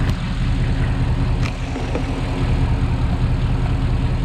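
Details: Porsche Cayenne Turbo 957, cold engine at idle: deep rumble with a couple of sharp clicks standing out; abnormal cold-start noise, cause unclear.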